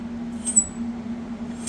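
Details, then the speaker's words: 1997 Acura Integra GS-R, front wheel turned during a stiff, binding steering diagnosis: two short sharp high squeaks/grinding. Owner suspects the non-greasable lower ball joint on this side came without grease. "squeaking sound, or like a grinding sound. I'm almost wondering if the lower ball joint on this side didn't come with grease, which would be kind of frustrating because it's not a greasable one like the top."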